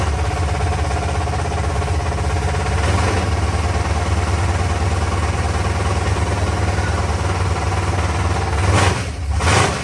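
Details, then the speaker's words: Freshly built 388 small-block V8 with mild camshaft, first real run after brief firing to warm pipes, oil pressure gauged: deep loud lumpy thump at steady idle, open pipes barking evenly, no knocks or ticks; normal V8 idle. "so let's see what this little mild cam shaft baby will do and I got the oil pressure G up here too"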